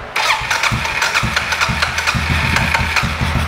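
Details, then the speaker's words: 2007 Suzuki KingQuad 750 that had died, right after a new spark plug was fitted in place of the old bad one: a short crank, then it catches at once and settles into an even single-cylinder idle thump. "all right well we're going to let it we're going to let it idle for a minute that's old shitty spark plug"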